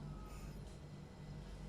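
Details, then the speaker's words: Fridge that was not cooling, after replacing overload matched to single-door unit: compressor briefly stuck at 2 A, then settles to 0.76 A; steady low unbroken hum, no clicking or stalling; running normally. "di sini sudah jalan Tadi sempet stuck ya di 2 ampere kemudian sudah mulai turun lagi Di 0,76 artinya di sini ampere sudah membaik dan mesin kompresor sudah bisa berjalan dengan normal teman-teman"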